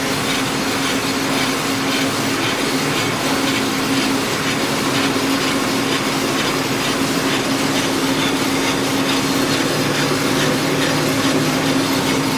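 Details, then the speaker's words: Scion FR-S/Subaru BRZ on inspection, rear wheel spinning freely: steady rough grinding drone with a faint rhythmic rumble, louder at speed; first suspected the differential, but it was the worn left rear wheel bearing. "but I'm pretty sure this wheel bearing is back too if you can hear that sounds like it's grinding I thought it was a differential but I don't think it is"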